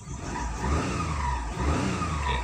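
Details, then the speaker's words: Perodua Viva automatic (Daihatsu) after cleaning a part and resetting to clear the engine light: engine idles steadily below 1,000 rpm with a low even hum, no misses or rattles, rough idle fixed. "running smooth now no more boo no more noal idling rough"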